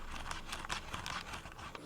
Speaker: The sticks use these weird flat semi-concave like stick caps, and as you expect they are just the cheapest potentiometers. The R3 and L3 clicks are fine, but just listen to that jazzy grinding.